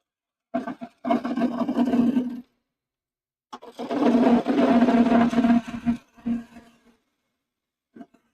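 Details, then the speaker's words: Maple spoon blank turning on a wood lathe with carbon steel tools: rough bursts of cutting with a buzzing hum while the tool bites. The chatter means the blank is still out of round, and the tool may be set too high. ">> Can you hear that chatter? That means it's still not round."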